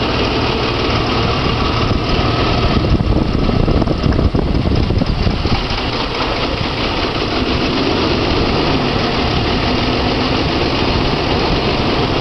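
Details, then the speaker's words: Jeep six-cylinder idling on three cylinders with three spark plugs pulled: an uneven, off-balance puttering with a lopsided shake, a deliberate misfire that still keeps running. "all right that's three cylinders doesn't even sound that bad i'm impressed"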